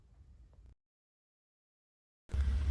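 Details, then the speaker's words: Gas water heater main burner lit after the pilot: a steady deep whooshing, buzzing roar as gas flows and the main flame heats the water, normal operation. "You hear that buzzing sound, right? That's because the main flame is on, and you have the gas going on and the flame turning on."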